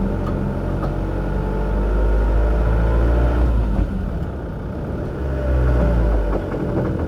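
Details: Mk6 Ford Transit 2.0 diesel FWD on the move, recently fitted new tie-rod ends: deep road rumble with a light, uneven knock from the front wheel area.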